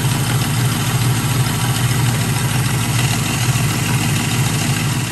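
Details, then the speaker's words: Ford Mustang GT at idle with a light uneven clatter at the front of the engine, still present with the crank belt removed; diagnosed with a stethoscope as a loose timing chain, suspected failing tensioner or guide. "hey guys danny johnson here my gt has been making a little bit of engine noise i'm going to show you what i did to kind of diagnose it and what i think that it is"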